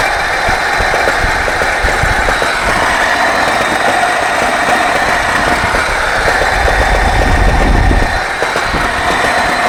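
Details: Engine labeled 24D at a rough idle: irregular knocking about three to four knocks per second over the engine hum, source unclear; engine knock.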